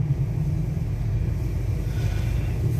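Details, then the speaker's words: Used vehicle's automatic transmission on road test in 2-wheel drive: even low road rumble, no whine, clunk or slip; transmission sounds normal, no strange noises. "Jadi harus tahu juga, coba didengarkan kondisi suaranya di transmisi. Apakah ada suara-suara aneh? Kalau ini kondisinya bagus, jadi tidak ada suara-suara aneh."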